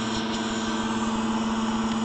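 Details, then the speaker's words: Modern Universal player piano stack with Perflex pouches: steady pump hum with a soft, constant airy hiss as air escapes through a failed pouch with the finger over the hole; the note doesn't play. "there we go near this house up I put my finger over the hole you can hear the air escaping"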